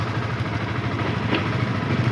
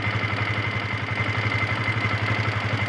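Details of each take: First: Yamaha FZS V2 at 437 km, previously noisy from loose tappets and timing chain after rough running-in, after tappet and timing chain adjustment: steady, smooth idle with even low beat, no ticking or rattle; normal idle. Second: Yamaha FZS V2 motorcycle at 437 km, idling: fast metallic ticking with a thin ringing rattle from loose tappets and a slack timing chain, blamed on rough riding during break-in. The fix is tappet and timing chain adjustment.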